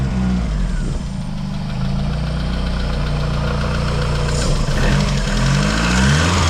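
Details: Vauxhall Mk2 Cavalier (A-reg, heavily modified, turbocharged C20LET engine) after fitting a known-good donor V-belt alternator to replace a dead one: steady, even idle with smooth clean revs, no knocks or misses; now charging 13.6–13.7 V, engine healthy.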